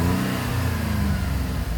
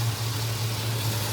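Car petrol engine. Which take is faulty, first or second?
first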